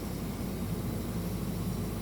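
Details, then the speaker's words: Diesel air compressor in run mode at 120 psi, supplying air: deep, steady diesel drone under load with no knocks, surges or squeals; the compressor is pumping normally. "And now I've got volumetric air being created because the pump, the compressor itself, is pumping adequate air to facilitate what I draw off here now."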